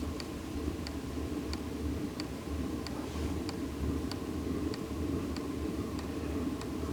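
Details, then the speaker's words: Newly installed diesel air heater in a studio, first start: steady fan rush with a crisp fuel-pump tick about one and a half times a second, warm air starting to come out; ignition likely, fuel line still bleeding air; normal startup. "a little bit of warm air starting to come out there so I think we do have ignition"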